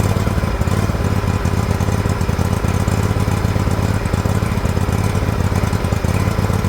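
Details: Liquid-cooled Kawasaki twin in an older John Deere LX178 project mower, throttle slowed: steady, loud run with a lumpy, uneven beat; carburetor flooding over badly, leaking fuel onto the muffler, new carburetor to be ordered.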